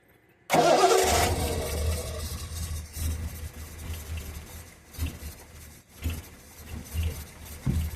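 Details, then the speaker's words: 1974 Triumph TR6 unused for about four years, coil getting only 6 V so hot-wired directly to the battery: catches and runs loud for about a second, then fades into weak sputtering and dies. Spark present, fuel uncertain. "seems like we have spark now I don't know if we have fuel I'll give it some go yeah just dies when I touch the gear"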